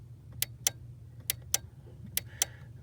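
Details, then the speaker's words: Ford 1998-04 F-150/Mustang/Taurus/Expedition power door lock module with its output plug disconnected: the lock switch is toggled and the relay gives sharp, crisp clicks in three quick pairs, a healthy relay making good contact, unlike the failing lock relay. "where you can hear the relay sounds really crisp and it's making good contact."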